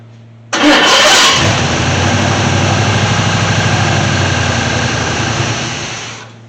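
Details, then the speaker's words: 1979 Chevy C10 sat 10+ years, battery charger on, fuel splashed in carburetor: starter spins, engine catches and runs evenly for seconds before dying; sounds good. "Still sounded good. Give it one more little splash. Make sure that it runs enough to build some oil pressure before I hook the gas up to it to let it run."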